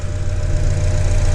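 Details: 2004 Honda Accord 2.4 L petrol after replacing a shorted ignition coil and fitting four new spark plugs: smooth, deep, steady idle with an even beat and no stumbles; normal idle, misfire fixed.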